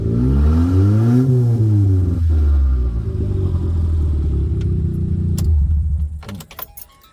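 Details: Turbo Mitsubishi after retiming a jumped timing belt, new plugs, distributor and ECU, downpipe only: fires right up, revs up and back down cleanly, then holds an even idle, loud and raw; timing sounds right.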